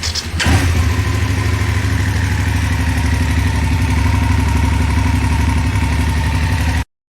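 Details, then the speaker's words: BMW F850GS motorcycle at idle, recorded after it came back from the shop: a light fast tick over the low engine beat, attributed to a failing cam chain tensioner. The owner says the ticking has been present through the bike's life. "i mean i think there's a fair assumption that i've always kind of had a rattly claddly bike and you know i wouldn't necessarily notice what curtis hears but there's absolutely a ticking going on"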